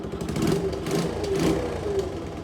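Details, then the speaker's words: Honda CT110 postie bike after fitting a 1mm oversize piston and cylinder: small single idling with a soft, puffy, fluffy exhaust note from an exhaust leak, otherwise running well. "it's got a bit of a exhaust leak so it sounds a bit fluffy at the moment"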